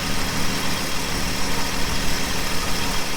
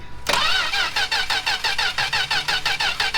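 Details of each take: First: 1967 Plymouth Valiant slant six, first start after years sitting, carb float bowl filled: engine catches and settles into a steady, somewhat rough low idle with no knocks. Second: 1967 Plymouth Valiant slant six after years stored, cylinders fogged, coil and plug wires checked connected: steady starter cranking, about one compression pulse a second, never fires; crank no-start, owner judges no spark ("she would have coughed by now").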